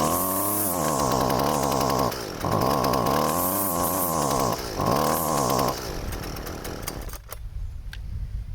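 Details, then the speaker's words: Curb-find Husqvarna 128CD trimmer powerhead at its first start after the carburetor was cleaned with carb cleaner: it buzzes up to revs, sags and dips three times, then dies and cannot hold high RPM. Cause not confirmed. "Yeah, something ain't right."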